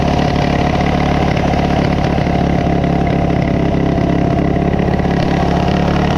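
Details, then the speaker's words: High idle on a Coleman CT200U-A minibike, Hisun 196cc engine, after carb adjustments: hard to start, then races fast and unsteady with a rough, uneven beat that never settles. No bind was found and carb gasket alignment was checked; cause unknown. "so no matter what the adjustments I make this thing runs crazy"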